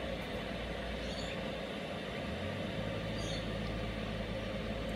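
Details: Cheap eBay 12V 5kW diesel air heater on a bench test, in its shutdown cycle: even fan whir over a low steady hum with no burner roar as it purges normally.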